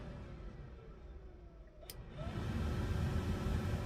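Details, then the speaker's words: 1967 Mustang heater blower motor, wired directly to the resistor's high prong during troubleshooting: hum steps up to a louder steady whoosh; resistor good, power flowing. "and high okay so i now know the resistor's good power is flowing through it"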